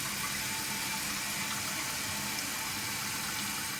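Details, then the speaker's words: Toilet tank refilling after a noisy fill valve was replaced with a new one: steady hiss of rushing water with good, fast flow, no squeal or hum; a quiet, healthy fill valve. "how much pressures coming out of here coming out a lot fast enough so it's gonna pull up the bowl a lot faster okay"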